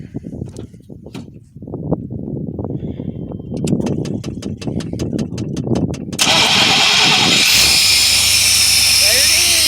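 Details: 1994 Chevy K2500 with 350 5.7L V8, after refitting missing fuel pump fuse: starter cranks evenly about four turns a second for several seconds, then catches and settles into steady idle; normal start.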